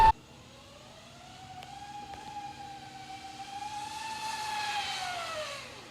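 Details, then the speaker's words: 72V Sur-Ron electric dirt bike after primary chain drive conversion replacing belt drive, test ride: loud whine rising and falling with road speed over quiet motor hum; chain bone-dry, suspected lack of lubrication, drive chain whine. "Even just rolling it, it's louder. Oh, that's already too loud. Oh my god! Listen to it whine!"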